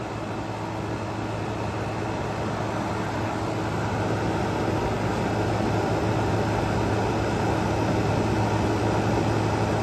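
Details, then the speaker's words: Frigidaire Gallery GHWQ103WC1 10,000 BTU dual inverter air conditioner, revived after being trashed, as the compressor is let ramp down: even low hum and air rush, no clicks, grinding or squeal; cooling very well, normal running. "so yeah this thing is definitely working very well I am pleasantly surprised going to let it ramp back down so you can see just how quiet this thing"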